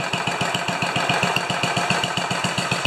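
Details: 10 HP Kohler K241 single-cylinder engine idling after installing a modern plastic fuel pump: even putter about four firing pulses a second, steady and unbroken with no stumbles; healthy idle.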